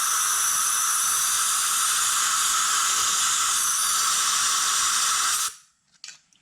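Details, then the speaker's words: 2009 Hemi 1500 long block build, cylinder head checked with compressed air: sharp steady hiss for about five seconds, then cuts off; number eight exhaust valve not sealing, while all intake valves look okay. "yeah we still have an issue with the number eight exhaust valve not ceiling uh correctly"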